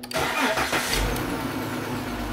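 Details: Chrysler with failed fuel pump check valve after TIPM fuel pump relay bypass fix: short crank, fires straight away and holds an even steady idle; normal start.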